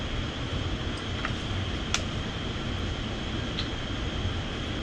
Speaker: Yeah, still running. I'm just going to verify that it's nice and clear.